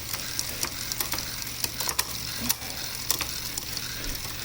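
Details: Lectric XP e-bike after 11-34t freewheel change, rear wheel reinstalled: spinning wheel gives a steady hiss with irregular light ticks about twice a second, suggesting a rub; owner says something needs adjusting, cause not confirmed.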